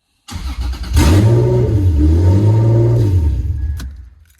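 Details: Lexus SC300/400 after ignition cylinder removal, started with a key that turns to accessory, transmission has no oil so run briefly: starter whirs, engine fires promptly, revs smoothly and settles without misses or knocks.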